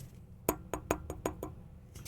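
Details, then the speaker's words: Hedge tube amplifier powered on with signal off, mic held by each tube while tapped: short dull thumps dying at once with no ringing; this tube is normal, not microphonic, unlike the bad one that rings. "Hear how these three have like a thump, but this one rings."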